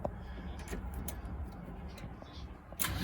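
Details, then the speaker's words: Long-stored Porsche 924 Turbo, cranking from the ignition with a suspect starter, clearing oil from the cylinders before a compression test: uneven turning-over chug for a few seconds with no firing; cranks but does not start. "There we go. We caught it on camera. Bunch of good revolutions out of that by now."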